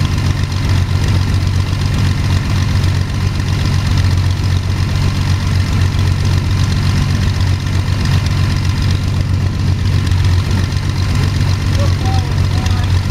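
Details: First start of Jabiru 3300 six-cylinder in plans-built Sonex with Rotec TBI, 50 hours on engine, mixture full rich, oil pressure 42, charging: deep steady idle, even low beat, no knocking or stumbling; sounded really good, normal idle.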